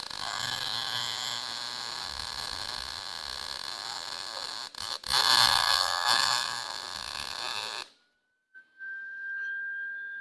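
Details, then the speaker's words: Lincoln Pro-MIG 140, 110 V MIG welder, after troubleshooting feed chatter, drive set at 6, wire turned up slightly: steady crackling sizzle like frying bacon for about eight seconds, no pops or stutters; normal, clean MIG arc. "sounded good you could hear it it sort of like sounded like fried bacon so um it actually seems to be welling pretty decent for being a 110 machine"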